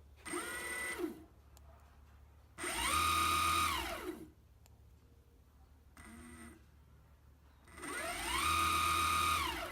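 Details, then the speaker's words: Evolve ONE electric skateboard with the replacement motor installed and the belt tensioned: short bursts of smooth electric whine rising and falling with speed, no grinding or locking up; normal motor run. "motor spins great no grinding noises and locking up there you"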